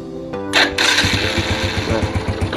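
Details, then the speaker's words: Yamaha Vega ZR after repair of its sputtering (brebet) problem, ignition cables checked OK: small single revs up cleanly after a brief blip with even pulses, no stumble or popping; first pull-away is smooth. "hai oke mas bro tarikan pertama anteng"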